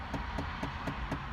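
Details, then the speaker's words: Chevrolet Impala: light, even tapping about four times a second from the passenger-side HVAC blend door actuator behind the dash. Sometimes stops when AC settings are changed, sometimes not. "you get that tapping noise that is in the AC actuator there on the passenger side of the car"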